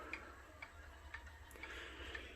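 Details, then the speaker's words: Clock running slow, possibly because it fell backward onto the carpet; it had earlier run too fast: crisp, even ticks about twice a second over a quiet room, and it chimes a bit fast. A slow rate can't be judged by ear. "it's also chiming a bit faster if I weighed them all that maybe we all can hear it if y'all were still watching up to this point"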